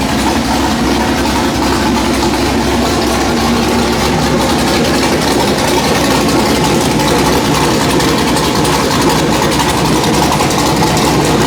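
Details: Factory Five Mark 4 Roadster build engine on the run stand, last firing before removal and install into the chassis: loud raspy exhaust at steady idle, even unbroken rumble, no knocks or misses; normal running.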